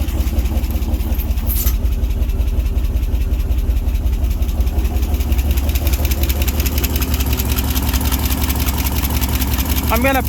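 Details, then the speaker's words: 1967 International 1200 pickup V8, first start after 20 years of neglect and an accelerator pump leak fix: a rough, low idle with a light, steady lifter tick from the valve area; cause not confirmed. "pretend I don't hear that lifter ticking"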